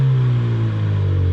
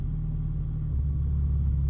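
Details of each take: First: Ford Mustang EcoBoost after going back to factory spark plugs from Accel plugs and swapping coil packs. A short, smooth, clean rev with no stutter around 1,000 rpm: normal revving, with only minor misfire counts remaining. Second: Ford Mustang EcoBoost with Accel spark plugs, misfiring since cold weather: low, rumbling idle near 1,000 rpm that sags and wavers, stumbling every second or so, nearly dying. Cylinder one shows the most misfire counts, with the plugs suspected.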